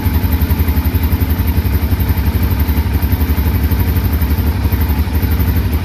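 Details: 2005 Can-Am DS650 quad, bought for $1000, run on choke then choke off: deep, even single-cylinder thumping at a quick steady beat, no misses or knocks; the engine runs smoothly.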